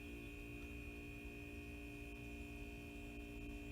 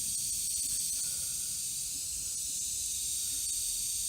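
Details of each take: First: Kegerator fridge compressor after fitting a bullet piercing valve and a side-leak putty repair: steady low hum with a couple of constant tones, no knocking or rattling, running normally; owner judges the sound no problem. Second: Kegerator under an air pressure leak test before an R134a recharge: steady high, airy hiss with no mechanical rhythm, air escaping at the bullet piercing valve; owner suspects its needle is pushed in too far.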